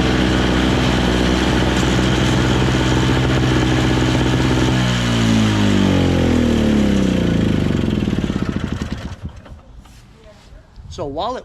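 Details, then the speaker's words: Single-stage two-stroke snow blower on full choke: runs rough and steady, then sags and dies off; the auger paddles spin with the handle released, as if the drive is stuck engaged, though the cable is loose. "right the paddles are already spinning without even me pulling on it so it's kind of like all the time engaged and it's loose so that that shouldn't be it"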